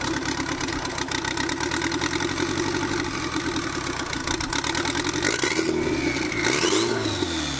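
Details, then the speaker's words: Turbocharged KA-engined Nissan 240 with no tune, timing being adjusted: revs hunt up and down irregularly with hiss and whoosh; check engine light flashing codes, suspected complaining about MAP and air-fuel ratio from lacking a tune. Surging idle. "it has no tune that's why rooms like this but the check engine lights flashing fast on three four five and then slow on one and two"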